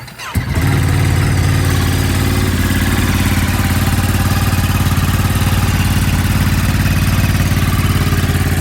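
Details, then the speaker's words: New 2023 Ducati Monster+ 937, first cold start in neutral: catches instantly and settles into a strong, steady low throb at fast cold high idle, even and healthy, no knocks or misses, condensation from exhaust. "for just a second we're gonna let it kind of high idle let the idle come down a little bit"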